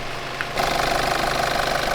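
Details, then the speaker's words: Nissan Navara D22 diesel, started to test a suspected bad alternator: catches after a short crank, then a fast, even diesel clatter of about fifteen pulses a second; a typical healthy idle. "Sounds about as smooth as any D22."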